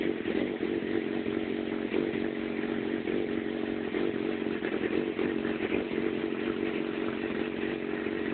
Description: My FZ6 is having problems idling and moving around at low engine speed (less than 3000 rpm). Does anyone know a fix?